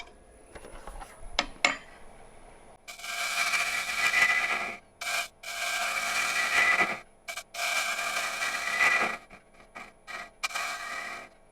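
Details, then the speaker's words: Dry apple wood salad bowl (about 10" x 4") on the lathe, being thinned toward a uniform wall with a bottom-feeder gouge: rough raspy cuts with a ringing rattle. The thin wall is flexing, causing tool chatter. "Can you guys hear how it's rattling around there? Wood's just flexing too much for me to to get a better cut than that."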